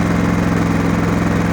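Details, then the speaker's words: Genmax GM7500 iAED dual-fuel inverter generator with about 9 hours of use, no load, set to 120/240 V at 60 Hz: a steady, even drone with no misses, surges or knocks, settled cleanly at low eco idle. "So you can hear how smooth she's running."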